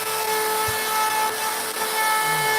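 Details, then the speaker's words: Router carving a sign with a profile bit: steady high whine straining and roughening as the bit sinks too deep, cutting halfway through the board. "That's deep. Yeah, that thing sank quite a bit."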